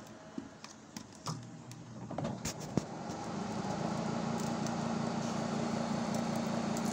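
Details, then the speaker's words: Camel spin dryer, previously slow spinning and noisy; after repair and cover modification motor spins up to a steady, quiet, even hum with no knocking, strong spin: normal spin. "So yun tahimik na tahimik walang kaingay-ingay Ang lakas pa"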